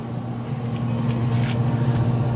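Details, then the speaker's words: Traeger pellet grill after control board work, once an orange wire touching the fan was rerouted: even, steady low hum with no rattle, scrape or ticking as the fan and auger run smoothly, now operating normally. "now the fence is free and it operates way it's supposed to"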